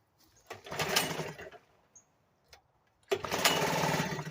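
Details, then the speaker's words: 1975 Sears Gamefisher outboard, first start after carburetor repair, running in a water barrel with choke pulled and only a couple cups of gas: small two-stroke catches, buzzes, dies, refires and runs rough; owner says it needs adjusting, suspects too little fuel. "okay YouTube I can see that if that runs runs but it's gonna need some adjusting and such on it"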